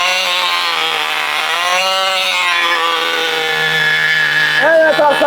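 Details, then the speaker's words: 1980 Cox Babe Bee .049 nitro glow model airplane engine, after 46 years: high, steady buzzing scream holding pitch without sag or stutter; running cleanly. "folks, a perfect 1980 model engine. Yes, folks, we've witnessed a perfect job."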